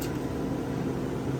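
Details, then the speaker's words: Vintage Westinghouse 10,000 BTU A/C; soft steady hum and airy whoosh, no rattles, grinding or squeal; smooth runner, works pretty well, normal running. "yeah it's a smooth runner uh i think for 20 uh 40 bucks it's not too bad i got a pretty good deal on it and it works pretty well"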